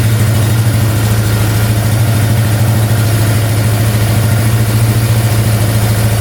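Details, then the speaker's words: Polaris ATV bought for $500 and repaired, fuel delivery problem (no fuel pumped, lines possibly misrouted, petcock seal possibly replaced): steady even low idle with a smooth pulse, no leaking or ticking, running clean. "So we're coming from I think we're good. No leaking, no ticking. Sounds good."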